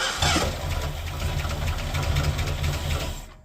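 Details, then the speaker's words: 1985 Mercury Marquis police interceptor, 351 Windsor V8, first start with fuel primed to the pipe and gas in the bowls, in park: brief cranking, V8 catches, steady low rumble then cuts off; new starter still doesn't always engage. "It's got a new starter, but it still doesn't always engage."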